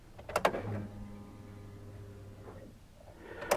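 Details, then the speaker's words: Chevy Colorado crew cab after AC Delco MU1385 fuel pump replacement, battery reconnected, ignition on: after key clicks a low steady electric hum about two seconds then stops; normal fuel pump priming, no leaks, engine then starts. "All right, the pump came on. Let's do it again. It didn't cycle a second time."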